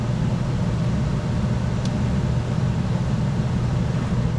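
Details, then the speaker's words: American Standard/Trane heat pump package unit with a no-heat, no-airflow complaint. With the blower jumped on from R, there is a steady, even whoosh of air and a low constant hum, no rubbing or rattling. The blower is running normally. "first thing I want to do is energize my blower make sure my blower comes on and we have"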